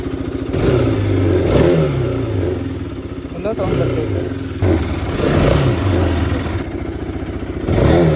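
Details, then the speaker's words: Motorbike just back from showroom service: the engine swells up and down with a loose buzzing clatter over each rev from body panels refitted hastily and incorrectly, vibrating all over, with widened gaps and cracks. "But ಅದು ಮನೆಗೆ ನಾನು on the way ಬರುವಾಗಲೇ ನೋಡಿದೆ full body ಎಲ್ಲ vibration sound ಯಾಕೆಂದ್ರೆ ಅವರು ಕರೆಕ್ಟಾಗಿ body fit ಮಾಡಿಲ್ಲ"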